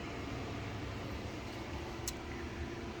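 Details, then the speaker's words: 2007 Jayco Melbourne 29D Class B RV furnace starting after the thermostat is set to 72 degrees, fan on auto, switched to heat: steady even blower rush with one brief click; normal furnace start-up. "we want to run heat so in order to kind of go off of what's set you put it on auto is the fan mode and then you would slide this to heat and then you'll hear the furnace come on automatically"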